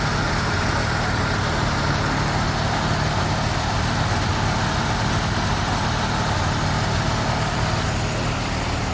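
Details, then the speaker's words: 1990 Mazda RX7 rotary, rebuilt and about 2,200 miles, a few minutes after start following a radiator replacement: a steady, even low hum at about 1100 rpm with no misses or knocks. A normal cold fast idle while warming, expected to drop to about 750. "Alright, so now we've been running for a couple of minutes, and well, we're still idling at 1100. It should drop down to about 750 here shortly."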